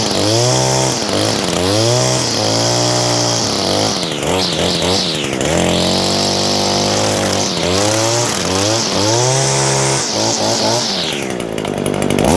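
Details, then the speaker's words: New Echo SRM225 two-stroke trimmer with speed-feed head, freshly started on a 100°F day, buzzes high and clean, revving up and dropping back smoothly with no misfire; owner notes a possible slight rattle; otherwise healthy running. "This Echo though, guys, I'm pretty pleased with this, and just listen to that sound."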